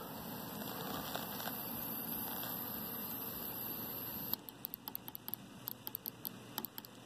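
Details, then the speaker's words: Bench test of a spare fuel injector pressurized with aerosol carb cleaner through a drilled tire valve cap, fired off a 12 V battery: steady hiss of fluid escaping, then light ticks as pressure drops; injector leaks, likely blocked valve or solenoid. Leaking fuel injector. "i'm pressurizing pressurizing it and you can hear it leaking you can see fuel or carb cleaner coming out"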